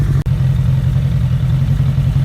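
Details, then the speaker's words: 2001 Suzuki Bandit 1200S four-cylinder before carb sync, vacuum gauges showing carbs way off: warm idle with uneven, lumpy low burble and wavering beat instead of even patter; carburetors out of sync, about to be adjusted. "all righty then as you can see these things are way off so I'm going to fiddle with them"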